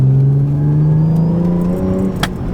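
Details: Manual Lexus IS300 while driving: a thin, steady whine over the engine climbs slightly in pitch as the car pulls. Source unconfirmed; owner jokes it is a supercharger and blames a cheap aftermarket radio.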